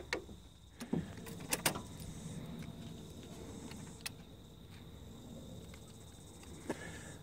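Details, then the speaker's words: Nissan Patrol driver's door power window with an intermittent fault, door card off: relay clicks sharply with each up or down press but the motor doesn't run; relay-to-plug connection suspected at first, but that isn't the cause. "if I press up nothing down nothing but we can hear the relay clicking"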